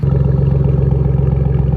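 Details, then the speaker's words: Idling truck engine with a deep, heavy knock about ten times a second, a really bad rod knock; the truck is considered done. "But she's running. She has a really, really bad rod knock. Oh my goodness. That's bad."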